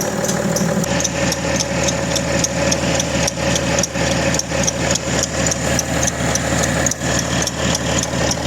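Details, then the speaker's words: BMW E90/91/92/93 325d/330d M57 diesel at cold start: fast, fairly regular light chirp about twice a second over the idle clatter; accessory belt squealing when cold. "hay poco ruidos tan molestos como este y tan irritantes cuando arrancamos el coche por las mañanas Especialmente cuando está en frío esos ruidos la verdad que incomodan a mí por lo menos me incomodan bastante"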